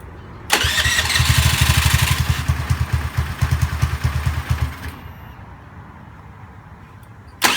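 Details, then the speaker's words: Honda Zoomer-X fuel-injected scooter: engine catches and putters rapidly for about four seconds, then dies on its own; worse with throttle; starts then stalls, fuel pump pressure suspected, not confirmed. "กับอาการปัญหาที่ว่าสตาร์ทติดแป๊บเดียวเครื่องมันจะดับเองครับ"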